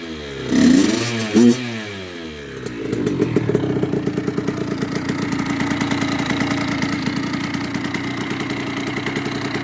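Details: Freshly rebuilt 2002 Kawasaki KX65 two-stroke (Wrench Rabbit kit), already warm from riding; crackles at idle then revs up crisp and clean, dropping back steadily, healthy and pulling strong, normal revving.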